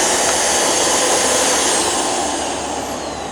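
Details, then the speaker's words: Vacuum from a curb-find lot whose only known problem is a missing rug plate: constant high airy motor whoosh with no grinding, rattling or pitch wobble; runs normally with no issue. "Okay, this doesn't seem to have an issue whatsoever."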